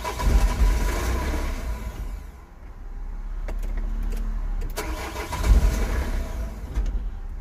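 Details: 2003 Nissan 1.9 (same as Renault/Opel), engine light flashing: two bursts of steady starter cranking at about four turns a second, engine never catches; crank, no-start.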